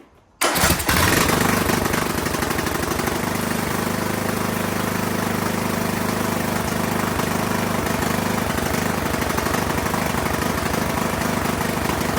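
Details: Poulan Pro PP175G42 riding mower that sat outside for years, key-started on battery cables, no milky oil: it catches on the first crank and settles into a steady, even single-cylinder idle. Runs and sounds great despite the disconnected breather hose.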